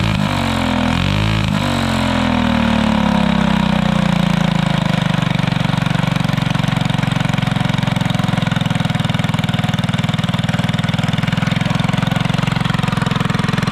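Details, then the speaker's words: Go-kart alcohol-fuelled 212 engine with new torque converter, after three months in the garage without draining fuel: cranks briefly, catches at once and settles into a steady, even single-cylinder drone with no misses or knocks; normal start and running. "in the end of the go-kart episode last you really didn't get to hear it run too well so we're go ahead and crank it up"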